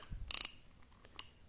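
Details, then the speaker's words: Vintage Japan-made Olympic Surf-93 spinning reel, about size 5000–6000: a crisp, loud metallic snap as the bail flips over, then a lighter click. A clean, positive bail action, normal. "หมุนย้อนกลับทำงานปกตินะครับอ่ามีมิหมุนเดินหน้าถอยหลังครับสปริงหน้า่อแข็งแรงเรดีครับเปิดปิดได้ครับอ่าคลิกเสียงดังดี"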